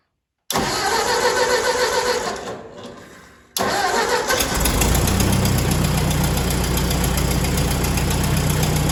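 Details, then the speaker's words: Ford tractor with repaired John Deere sickle mower hooked up, PTO engaged: fires straight up, dies back briefly, then steady even run; has been starting right up and running well after repairs. "It's been firing right up, running good. So happy to have that back working good."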